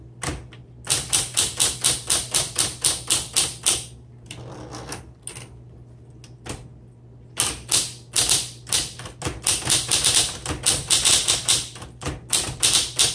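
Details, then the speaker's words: 1960s Smith Corona Electra 110 electric typewriter with manual carriage return, in a typing demo: crisp, rapid key strikes in even bursts over a low, steady motor hum. The bell sounds good and the carriage is smooth, not gritty, so operation is normal. "The bell sounds really good, and the carriage is nice and smooth. It's not gritty underneath or anything."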